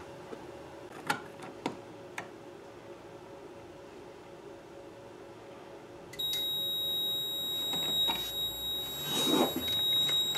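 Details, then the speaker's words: Fire alarm control panel: a few faint clicks, then a steady high-pitched beeping tone as damaged wire insulation lets bare copper touch a metal electrical box; ground fault trouble signal, clears once repaired. "if that bare copper makes contact with the metal box you'll hear the system start beeping that it's gone into ground"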